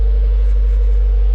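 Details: Subaru Forester XT idling with its exhaust, thought to be a WRX exhaust. A steady, muted low rumble with no rattles or ticks; the exhaust sounds noticeably quieter and healthy.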